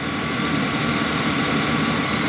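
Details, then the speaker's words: 2015 Chevy Express van after bank 2 injector misfire: pushing in a fuse restored power on both sides; engine now idles smoothly with no stumble or skipped beats, running cleanly on all cylinders. "all I did was push in the needle to that fuse push the oil to the top I have power on one side and Power on the other and the car is running all right"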